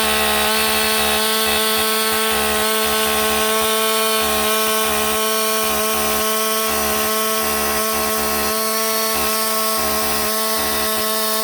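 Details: Husqvarna 562XP AutoTune chainsaw restarted warm, choke off, with the air filter severely restricted by duct tape to test AutoTune compensation: steady buzzing drone with a slightly uneven, surging edge.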